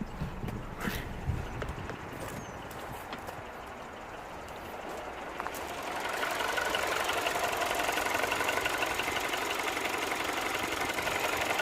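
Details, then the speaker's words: 2007 Mini One 1.4 N12 petrol after the repair for bouncing idle, stalling and error 2982, heard from the front of the car: quiet, even idle with a steady beat and no misses or hunting, more fan noise partway; running quite well. "It's actually running quite well. Sweet."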